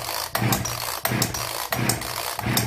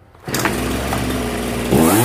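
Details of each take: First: Zenoah 3800 chainsaw, seemingly unused for a long time, choke pulled (it does not fully close, so it is held by hand): repeated raspy pull-start whirs, but the engine never fires. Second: Old Zenoah 3800 chainsaw after diaphragm replacement and carburetor adjustment for a no-start: catches and holds a steady buzzing run, then pitch climbs smoothly under throttle; healthy running after repair.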